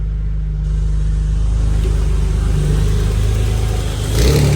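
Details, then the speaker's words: Ford BA Falcon drift car, green top Barra inline-six just swapped in (new welsh plugs, cleaned sump, 25% underdrive pulley), oil pressure 60: fires, settles into smooth deep rumble, takes a clean rev blip without clatter; healthy. "She's been running for a good 20 minutes, 25 minutes, just sitting here idling. Everything sounds good."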